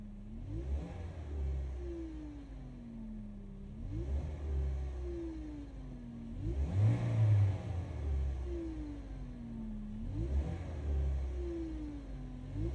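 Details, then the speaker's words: Great Wall Florid 1.5 VVT: the whine climbs sharply with each of about four throttle blips and falls back at idle. Some blamed the pump; the gearbox running low on oil is suspected, unconfirmed. "عندنا اليوم في الوليد السيد هذا راه يشتكي من الحس هذا يزيد كل ما طاكسي ديالي يزيد."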